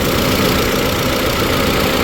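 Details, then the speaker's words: Ford EcoSport idling with air conditioning on, after replacing a noisy drive belt and removing a wrongly fitted washer: steady, even idle with no squeal or chirp from the belts; quiet, healthy accessory belt drive. "Mga boss no, wala na siyang ingay sa aircon no. Naka-aircon na yan siya."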